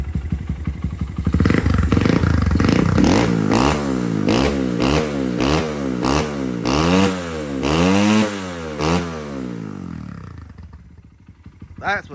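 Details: Honda XR100 big bore with BBR cam, warmed up, after valve clearance and timing adjustment: crisp single-cylinder blips rise and fall cleanly with the throttle, then settle to an even idle; healthy and responsive.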